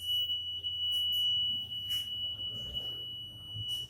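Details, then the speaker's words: WiFi Smart Motor V1 keyless motorcycle alarm, armed automatically after ignition off: shrill continuous ~3 kHz tone with chirps; alarm triggered when ignition is forced open or bike is vibrated. "Kalau dipaksa dibuka ini pasti bunyinya ya kalau kalau masalah lagi konflik terpaksa buka pasti bunyi alarmnya"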